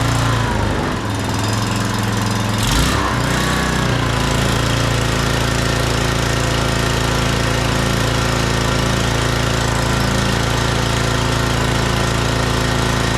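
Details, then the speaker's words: Scotts rear-tine tiller with 6 hp Tecumseh Enduro single-cylinder engine, sat over a year: after uneven starting bursts it settles into a steady, even beat; runs normally, no-start was simply no fuel. "Yay! It runs. He just didn't have gas in it."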